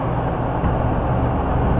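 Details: Meat shop walk-in cooler compressor/condensing unit in hog barn, running for the first time in over 5 years after rehab and door install; steady low hum, even motor drone, no knocks or rattles. Normal running.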